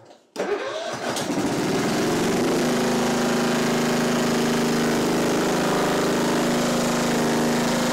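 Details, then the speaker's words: Simplicity Regent mower with a 14hp Kohler Command engine, carb and fuel line initially empty: catches after a brief crank, then settles into a steady, even run with a constant hum and no misses. Engine sounds healthy. "it starts it runs it sounds great it really does"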